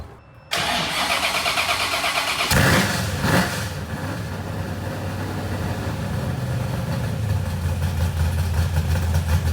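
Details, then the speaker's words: Freshly built small-block Ford 427 Windsor V8 street car restarted after its first start, big cam: engine catches and settles into a loud, lumpy, loping idle with a choppy exhaust beat; healthy, sounds nasty. "But you heard it start up, and boy, does it sound nasty."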